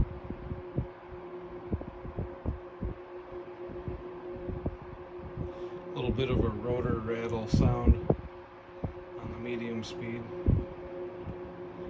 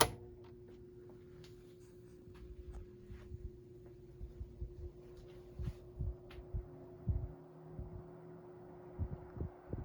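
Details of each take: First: 1973 Frigid (Mitsubishi) GT16-S 16-inch oscillating fan, motor serviced and oiled, on medium speed (about 980 ft/min): steady hum with loose clunky clicking rattle, typical until warmed up, gone on high; rotor rattle, cause unknown. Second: 1973 Frigid (Mitsubishi) GT16-S 16-inch oscillating fan, motor serviced, on low speed with oscillation off: quiet steady hum with faint constant tone, no rattle or scrape; running normally.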